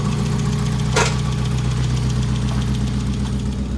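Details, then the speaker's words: 1991 Mazda Miata first started after sitting 15 years, with fresh oil and gas, on a jumper box and no smoke. Steady idle with a light, quick tapping about four a second, slightly uneven, sounding like a top-end tick. Cause unconfirmed. "Yeah, they're going tap, tap, tap, tap, tap, but sat 15 years and fired right up, man."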